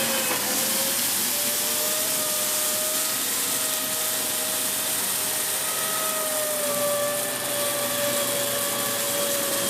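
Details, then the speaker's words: Dyson Big Ball Animal CY23 cylinder vacuum after 3 months' use: steady high squeal over even motor roar, caused by air leaking at the hose joint. "You hear that squealing noise again now? That's basically the joint here leaking."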